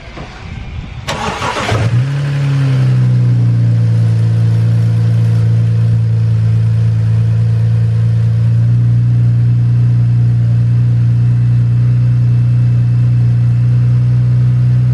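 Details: BMW 335i N54 first start after fitting a new power steering pulley and serpentine belt, fan shroud removed: quick crank, catches cleanly and settles to a smooth, even idle with no squeal or chirp; normal start and idle.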